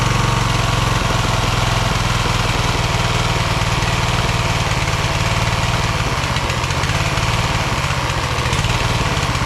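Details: Craftsman LT1000 hydro lawn tractor, second rebuilt engine, after new EverStart U1-R 230CCA battery fixed no-start: steady, even single-cylinder thrum, no misses or knocks, settling into smooth running; normal running.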